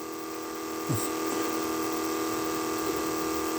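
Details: 1980 Trans Am nitrous fuel system: electric fuel pump with an even, unchanging whine and one brief handling knock early on, running constantly while the pressure adjustment is backed out and pressure goes down; pump sounds normal.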